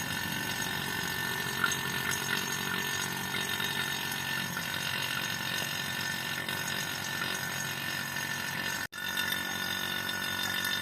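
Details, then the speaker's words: Freezer box after compressor replacement: vacuum pump running 15–20 minutes pulling system down, manifold gauge expected to fall to 30 below zero; steady even hum with light hiss, no knocks or surging, normal operation. "kemudian kita hidupkan mesin vakumnya. Kita tunggu saja pemakuman kira-kira sekitar 15 sampai 20 menit."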